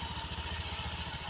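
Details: Automatic scooter, side CVT cover off, engine idling: light, busy metallic rattle ("kemeretek") loudest as it spins; owner suspects the dry clutch housing bearing (lahar rumah ganda) as the source.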